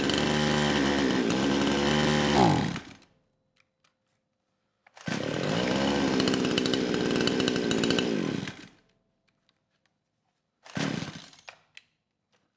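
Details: Kraftworld KW-5800 58cc Chinese two-stroke chainsaw, compression feeling low after being run on straight fuel; low-speed jet two turns out, it bursts up briefly then sags and dies, never holding revs; carburetor tuning from 1–3 turns made no difference.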